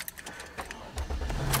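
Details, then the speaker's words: Car jump-started with Avapow 6000A portable jump starter fitted with 3-foot extended 8AWG smart cables: brief handling rattle, then engine catches quickly on the first try and settles into a low, steady run. "started on the first shot guys oh I hit my head it started on the first shot"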